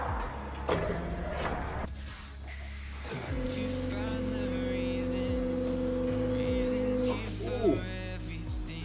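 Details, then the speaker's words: Nissan Stagea C34 RB25DET with a newly installed Walbro 460 in-tank fuel pump, heard priming at key-on: a loud, steady buzzing whine for about four seconds, then cutoff; normal prime after installation. "We're going to test this out and see if we can hear it prime. Alright, here we go. Let's see if we can get it to prime."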